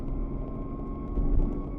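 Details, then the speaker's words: BMW F80 M3 with new PTB clutch, pulling hard under power in gear on backroads; steady mid-pitched whine over the engine, normal drivetrain whine the driver enjoys, nothing wrong. "See, that's the MVH you get, but I enjoy. I enjoy the whine. Makes me feel like I'm driving a baby sequential."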